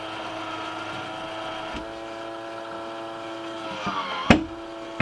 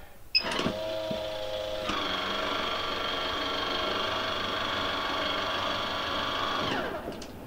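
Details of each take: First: MaxxAir MaxxFan 4500K RV bathroom roof vent fan: steady motor hum broken by sharp loud clicks from the failing automatic lid operator mechanism, which needs replacement. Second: MaxxAir MaxxFan 4500K RV roof vent, after replacing the operator mechanism (MA10-20281K) to cure loud clicking, opening with the Max2 cover on: a steady, even five-second motor whine with no clicking or catching; the lid opens smoothly.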